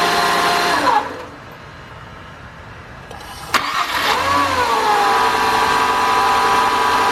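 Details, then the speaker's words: 2000 Nissan Maxima 3.0 with code P0505 (idle air control fault) that stalls right after starting: on a cold restart it flares, then holds a slightly high idle without stalling and slowly eases down; a throttle body cleaning is suspected to be needed. "okay it's cold so it is going to idle a little high right now let's see if this idle goes down by itself"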